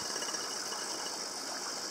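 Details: Tetra Tec aquarium air pump: soft fast buzzing rattle under steady airy hiss, pump vibrating against glass when turned to one side; otherwise much quieter after the silencing trick.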